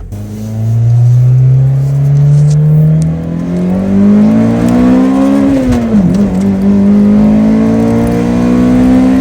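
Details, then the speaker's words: 2003 Pontiac Vibe GT 1.8L driving around town the day after driver's side wheel bearing replacement: engine pulls smoothly through gear change with only normal road and wind noise, no hum or growl with speed; bearing fine. "So, it's the next day of driving. just puttering around town. It sounds great. Just normal road noise at this point."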